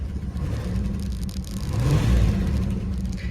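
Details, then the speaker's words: 1985 Chrysler Fifth Avenue, 95,000 miles, first start in 7 years, Lean Burn deleted, untimed aftermarket distributor: lumpy idle with an uneven beat and shuddering rumble; revs without hanging up but has a bad misfire, also running rich; a tick is also mentioned. "doesn't really hang up at RPM but she's got a misfire something bad like that shake ain't good"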